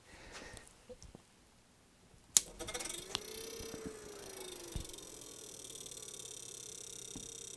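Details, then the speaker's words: QJE PS30SWE 30 A switching power supply, first power-on after repair, with output at about 13.5 V. The fan a previous owner mounted on the back spins up with a faint wavering tone and light scraping ticks; the blade grazes its housing. "right well the fan that he's mounted on the back of it is making a little noise ought to address that but 13 point 5 volts"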